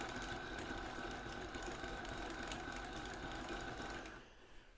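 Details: 1/6 scale Armortek Hetzer (Jagdpanzer 38) on 24 V drive motors, first road test on a hard patio: even whirring with a light regular clatter from the road wheels on the leaf springs and a thin constant tone. The track drive runs normally.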